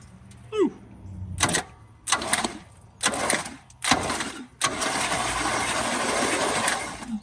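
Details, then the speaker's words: 1973 Chevy K5 Blazer 350 V8, sitting about 30 years, cranking after being freed from stuck with a breaker bar on the flywheel. Short cranking bursts then a longer spin, turning smoothly with no knock, but compression sounds weak. "The compression don't sound real, but at least there's no funking or anything."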